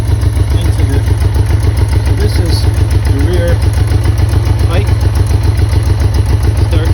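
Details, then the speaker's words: 1984 Honda Goldwing Aspencade with modified exhaust, cold on choke: uneven idle thumping at about 214 pulses a minute, running on three cylinders; one cylinder stays cold. "now you had a chance to see it running definitely on three cylinders as you can hear and eventually you'll just stop on it"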